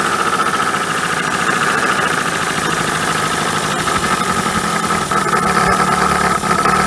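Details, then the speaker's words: 1980 Dodge Colt Challenger (Mitsubishi Galant), four-cylinder, sat 20 years, running after vacuum advance and solenoid hooked up: ragged, uneven beat with faint high ring on top; rough running, rust and some milk under valve cover, overfilled oil, water ingress. "so clearly water has gotten in here but i mean it's running ish"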